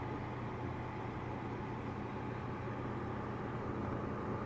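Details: Corsair HX1000i power supply, steady low buzz with constant drone unchanging through the clip; cause unclear.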